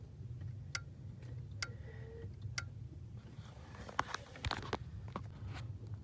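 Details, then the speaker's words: Ford 1998-04 power door lock module relay, output disconnected, input connected: soft, dull clicks about once a second on lock, lacking the crisp snap heard on unlock; weak relay click from poor contact. "Now I'm gonna lock the door and hear the relay. It does not make a good crisp contact where you hear the relay."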